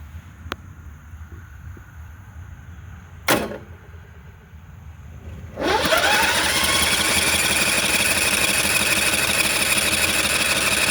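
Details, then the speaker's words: Briggs & Stratton 01815 standby generator converted to a trailer, cranking in manual mode; steady, even churn about three beats a second with no firing; cranks but won't start, owner suspects no fuel. "And it's going to keep doing that until the battery just dies. But almost feels like I'm not getting any fuel."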